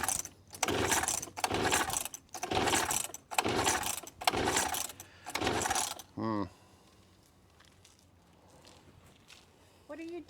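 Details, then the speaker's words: Antique garage-sale outboard on a gravity-feed fuel tank, choke open, switch on: six pull-cord cranks about a second apart, turns over but never fires because the fuel valve was shut off. "why don't you try turning the gas on whatever you mean it's supposed to be this way yes I can neither confirm nor deny that the fuel was shut off"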